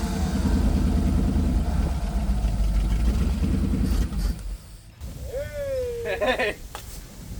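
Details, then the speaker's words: 1956 Chevy converted to a coupe, abandoned over 20 years, first start on fuel sprayed into the carburetor: loud, throaty open-exhaust rumble firing fairly evenly with no knocking. Normal running; it sounds good. "it actually sounds good it might actually have an exhaust I didn't think it had good"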